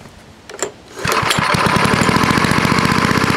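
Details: Vintage small single-cylinder snowblower engine after carburetor bowl cleaned with carb cleaner: sputters, catches at about one second, then steady, even four-per-second putter; runs normally.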